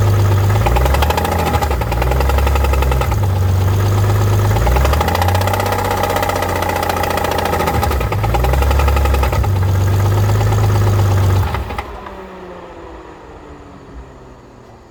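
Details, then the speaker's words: Rebuilt BMW E46 petrol engine, timing possibly set wrong: revved above 2000 rpm, rapid knocking that speeds up with revs, then engine shuts off; cause suspected, not confirmed. "right now the problem is on RPM over 2000 this is what it exactly sounds like and the faster you go the more more of this it sounds like so weird"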